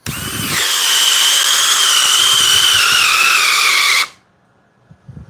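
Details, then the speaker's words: DeWalt drill in speed three. High electric whine holds, then sags slightly under load and stops dead as the electronics cut out right at the end, unlike the Metabo, which kept spinning. "the DeWalt cut out right at the end the Metabo kept spinning when it got to the bottom but the DeWalt cut out"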